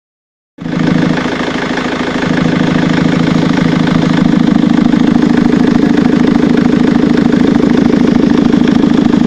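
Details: Ford Mondeo Mk3 TDCi diesel idling with a regular knock of about three per second, heard from the air filter/intake side after the cam carrier cover was replaced.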